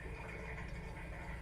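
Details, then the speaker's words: Suburban RV water heater on a 2021 Keystone Alliance, after a control board replacement and service, refilling with the relief valve open to let air out. A steady, low rush of water with no sputtering; the tank is refilling normally. "it's filling up when it's full it'll come out of here then we know we'll close that"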